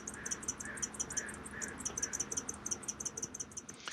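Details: MaxxAir MaxxFan/Fantastic Fan roof vent on a 2019 R-pod 180 RV: thin high chirp about three times a second over fan rush, steady with rotation; squeaking dry motor bearings, to be fixed by DIY rather than replacing motor.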